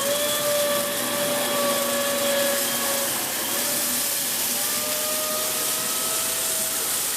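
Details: Dyson Big Ball Animal CY23 cylinder vacuum after three months' use: steady high whistle over the motor hiss, drifting slightly in pitch, as air leaks out through a hose joint.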